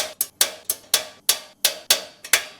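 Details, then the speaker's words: Blackstone Culinary 17" tabletop propane griddle, igniter tightened and regapped to ground: sharp, dry ticks about three or four a second, spark present but thin; weak igniter spark, it lit once but spark still not strong, adjusting gap next. "Still not very strong. Let's try making an adjustment."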